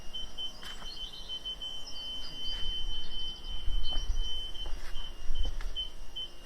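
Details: Fiat 500C convertible with newly installed rear parking sensors, reversing with the reversing lights on over a quiet idle: steady short beeps near 3 kHz quicken as the car gets closer. The sensors are working.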